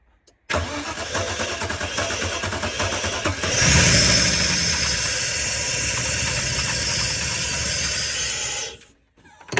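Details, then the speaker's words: Holden VN SS Commodore paddock find, long stored, stale fuel, oil and water present, cold: steady cranking, then it fires and runs roughly five seconds before dying, running only on starting fluid; ignition works. "Okay, so obviously it was only running off the Newlon Start Your Bastard vapors, but that is a massive win."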